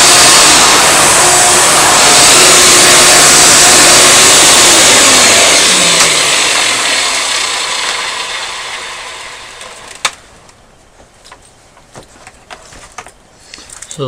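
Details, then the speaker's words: Hoover Elite vacuum motor with brand-new bearings, run on a Futura after 10 minutes of running: smooth steady high whir, no rattle or grinding, even spin-down; sounds fine. "I had the thing running for 10 minutes, seems to sound fine to me. Don't know why it would sound bad anyway, got brand new bearings in it."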